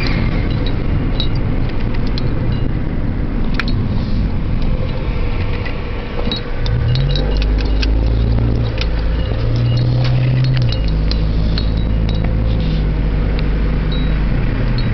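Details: 1997 Honda Civic LX automatic, stopped in Drive at a light then pulling away: heavy low drone that booms on revving; check engine light for catalyst efficiency below threshold bank 1; owner unsure if the muffler is the cause.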